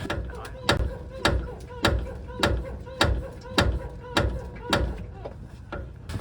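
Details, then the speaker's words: 2016 Toyota Tundra SR5 CrewMax on aftermarket OME 614 full coilovers: sharp metallic front-suspension clunks about every half second when turning into driveways, from the upper strut mount whose bottom bushing cracked and rotted away from heat; replaced with KYB 5737. "it sounded like every time i turned into a driveway or whatnot that this was making the noise but actually it turns out that it was this top strut mount and the bottom bushing had busted off or rotted away from the heat and got cracked"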